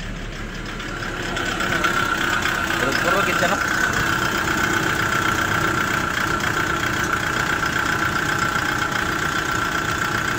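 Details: Kia Bongo III J3 Euro 4 diesel idles with an uneven stumbling knock, rough idle and misfire, with vibration and black smoke; bad fuel injectors are the cause, replaced with brand-new ones.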